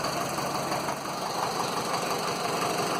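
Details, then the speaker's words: Land Rover Series 2a 88 2.25 diesel, first start after glow plugs, lots of blue smoke: uneven, lumpy beat of about three pulses a second under the clatter; misfire, owner suspects an injector, also a possible valve knock. "Yeah, lots of blue smoke, unfortunately. I reckon it's definitely one of the injectors because it's misfiring."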